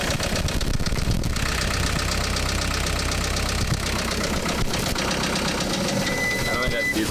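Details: Case 430 skid steer, 4.5 FPT diesel, after the machine fell on its side: steady idle with a deep, regular knock low in the block; no longer diesel knock, engine declared junk.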